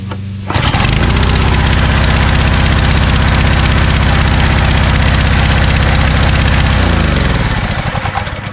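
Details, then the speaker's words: Kärcher pressure washer engine restarted with low-oil sensor reconnected after adding oil: catches and settles into a steady, even small-engine beat about four per second, no misfire or knock, then winds down; adding oil was the fix. "that's all you need to do is add some oil that's all"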